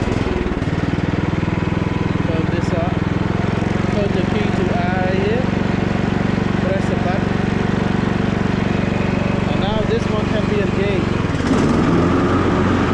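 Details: Cub Cadet LT42 XT1 riding mower, key turned to R reverse mode with button pressed so blade stays engaged; steady low engine drone with even blade whir, no misses or knocks, running normally.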